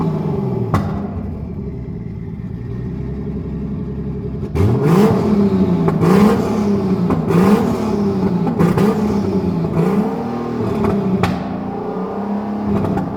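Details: BMW E81 drift car with M50-based engine on an RM Primis ECU running an untuned base map, on fresh fuel, warming up; steady idle and crisp, smooth blips with no knocks or misses, sounding healthy, though smoke increased as it warmed.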